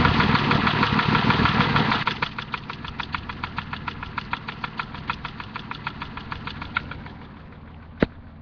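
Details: M30 engine in a turbo 545 at idle, heard from underneath the car: sharp, regular knock of about three taps a second over the engine note.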